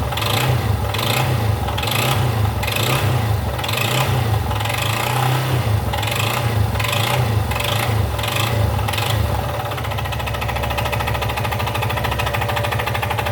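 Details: Yamaha XTZ Lander 250, 2020/21, 34,000 km, revving: sharp rasping ticks about twice a second over the single-cylinder engine, fading as revs settle; abnormal engine noise.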